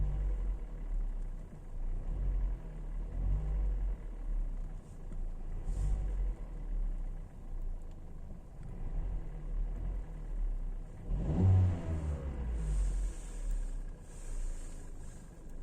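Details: Kia Ceed with G4FA petrol engine, warm, runs with a loose rattly rumble underneath and one brief rev rising and falling: engine rattle when warm.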